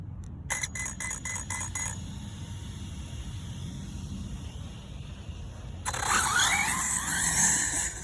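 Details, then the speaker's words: Hobao Hyper MT Plus II 1/7 brushless 4WD monster truck running 6S (three 2S batteries) slowed badly after a few hard throttle pulls. Quick string of high ESC reset beeps, then faint motor hiss. Owner suspects low-voltage cutoff, and it runs well again after the reset. "all right we've had about three or four good pulls of the trigger and it's just slowed down significantly so I think it's the battery Let's uh reset the ESC and just see what's going on"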